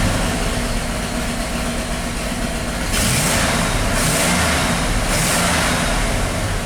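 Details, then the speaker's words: 1988 Ford F350 dump truck, 5.8 V8, stored over ten years, running rough with check engine light: quick throttle blips pull evenly on all cylinders, no misfire heard. "it does it does seem to run in all cylinders when I floor it or you know give it some throttle"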